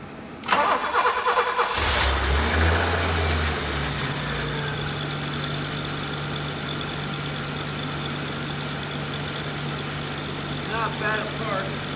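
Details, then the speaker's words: BMW E30 325e automatic after sitting for a while, started and idling; uneven lumpy idle with wavering beat about three per second, cause not yet found: rough running. "let me start it up to show you how rough it's running"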